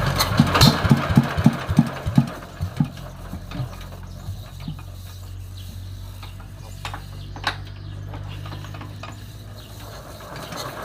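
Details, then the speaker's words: Yanmar TF115 LM single-cylinder diesel, owner reports hard starting when cold: slow labouring chuffs about three a second before it barely catches to a weak, uneven idle; very hard to start, mechanic plans to check injection pump plunger, injector and delivery valve. "วันนี้มีเครื่องยันม่าเจ้าโลกครับ115LMครับมา1ตัวเจ้าของบอกว่ามาติดยากครับตอนเครื่องเย็นสตาร์ทหมุนไม่ค่อยติดครับ"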